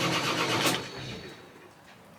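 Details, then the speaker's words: Sailboat diesel engine checked before launch tries to catch under cranking with a brief rough roar, then dies away without settling into a run. Cranks but won't start. "it's almost going oh it's not starting yet it almost got going"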